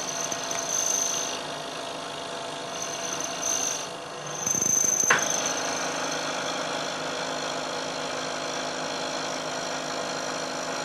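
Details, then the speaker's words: Milling cut of roughly equal depth to a previous cut, using a damped laminated plate whose friction suppresses oscillation: a steady even cutting hiss with faint high tone and no chatter, much quieter, with better surface finish. "I'm taking a cut this time of roughly equal depth to the cut I took before and you'll hear that there's a very big difference in the noise produced especially as the cutter gets out towards the end of the part and also closer inspection will show that there's a better surface finish as well"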